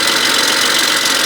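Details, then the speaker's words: 2010 BMW 535xi N54 twin-turbo at idle, check engine light on, slight misfire and rough running that clears after a while: light fast metallic rattle, bright and tinny, from the turbocharger wastegates. "So this N54, that little rattling you hear is from the wastegate on the turbochargers."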